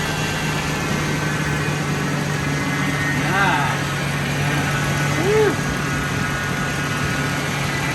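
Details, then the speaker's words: Totaled 2006 Ford F-350 V10, about 5,800 original miles, just after first start following rebuild: steady even idle, smooth low hum, no knocks or misses, oil pressure and coolant temperature fine, quiet; normal idle. "Dang. That's pretty awesome. Water's still fine. I just don't want that tight yet. It's quiet."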